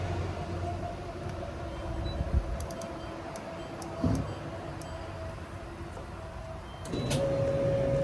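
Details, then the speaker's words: GE Profile dryer that was not heating, after repair (purple wire issue suspected; unusual double belt tension pulley setup reassembled): steady low motor hum and even drum rumble with light clicks, no scraping or squeal; runs normally and now heats. "Sounds good. Oh yeah, we got heat now, baby."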